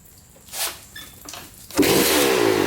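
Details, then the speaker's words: 2003 Suzuki RM125 two-stroke, bought as a non-runner, after cleaning the carb and a likely clogged pilot jet: starts on the first kick into a crisp, ringing idle that holds steady; normal running. "that was a pleasant surprise first kick pretty good"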